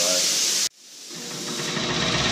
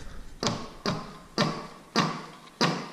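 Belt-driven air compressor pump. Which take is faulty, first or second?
second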